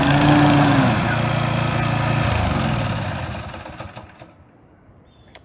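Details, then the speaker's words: Brand-new Toro TimeMaster 21200 electric-start mower, first-ever start: steady small-engine drone at an even beat, no knocking or grinding; normal running. "this is me starting the mower for the first time just want to hear how it sounds when it idles and then I'm going to let you hear how it sounds when you engage the blades"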